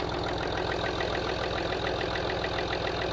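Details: Land Rover Discovery TDV6 diesel, after crank bearing shells were replaced and the head gasket repaired. At idle a light, regular knock a bit over twice a second is heard; the bottom end is judged good, and the owner suspects a top-end cam follower on the driver side.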